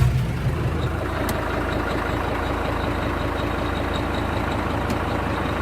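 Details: Kubota M120 tractor after fire damage and wiring harness rebuild, new computer calibrated for lift controls; steady even diesel idle with low smooth drone, no bogging, three-point lift working normally.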